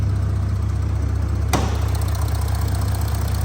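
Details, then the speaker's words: February 2020 Audi S4 3.0 V6 TDI turbo diesel, just over 48,000 miles, bonnet up at the engine bay: deep even idle with a light rapid tick about three per second, the normal sound of the high-pressure direct injectors. "basically got direct injection uh from the injectors which is what you can hear that Ticky noise is the high press injectors that Force the diesel into the cylinder and atomize it and give much better combustion"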